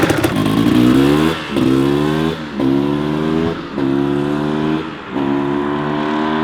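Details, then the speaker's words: Rebuilt 1994 Kawasaki KX250 two-stroke: repeated crisp throttle blips rise and fall cleanly with no rattle or misfire; engine revs freely and sounds healthy, transmission shifting smoothly. "so everything's feeling good on the bike after the third heat cycle the transmission is shifting smooth like butter as much as i can tell without beating on it has the power engine sounds good and healthy"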